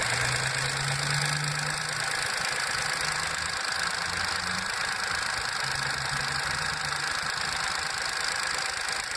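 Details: VW Up! MPI at 5000 km, cold start after repairing an oil leak on the intake camshaft phase variator; cold idle with a light uneven tick about three times a second over a hissy steady engine note, source unclear.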